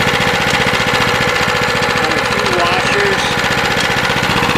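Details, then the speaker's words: Sears 26" 9HP snow blower after swap to new 6.5HP Greyhound (old Predator) Honda clone engine, on a 53°F day: steady even single-cylinder putter, no knocks, misses or surging; normal idle, no bad sounds. "you have your spins away it sounds good no bad sounds"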